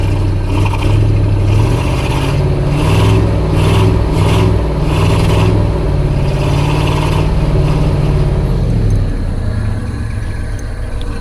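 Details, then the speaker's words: Ford F250 with 302 V8, abandoned about 7–12 years, fresh battery, old fuel possibly containing water: lumpy, uneven running with a loping beat and stumbles as it revs; misfiring on at least two cylinders on one side, maybe four total. "I definitely can hear misfiring on this side at least on two cylinders yeah maybe four cylinders total Mis firing"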